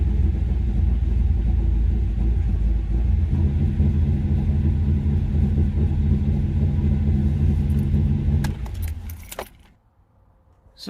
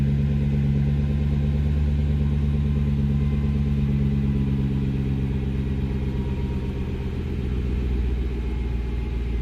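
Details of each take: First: 2004 Jaguar XKR V8, first start after sitting a few months during a front-end refurbishment, with fault codes and low battery voltage: lumpy, uneven idle as if running on six or seven cylinders; an intake air leak is the suspected cause. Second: 2004 Jaguar XKR V8 now idling smoothly with a deep even rumble, after a rough idle (running on 6–7 cylinders) after sitting for months was fixed by refitting a loose part that had come off the throttle body.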